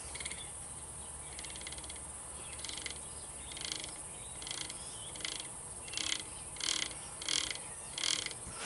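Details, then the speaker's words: Starter generator from a 753 after cleaning and reassembly, turned by hand: quiet ratcheting clicks in short bursts, a little over one per second. Brushes riding on the commutator suspected, not confirmed. "I don't like that. You hear that? Although I think it's just the brush is writing on the"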